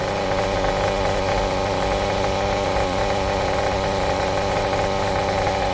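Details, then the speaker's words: Kyosho MP9 nitro buggy with its standard, somewhat worn engine, during tuning: small two-stroke buzzes at a steady, even tick-over with no surging or misfiring; idle settled and healthy. "She's sitting there, she's ticking over, she's running"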